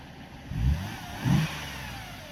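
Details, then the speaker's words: Freshly rebuilt 3.5 V6 Mercedes E350 (previously knocking and smoking) revved after warm-up: two quick clean throttle blips that settle without misfire, knock or rattle, and no smoke when revved; rebuild judged successful. "The engine rebuild was successful and I'm happy with the result. As you can see, no smoke is coming out when the car is revved."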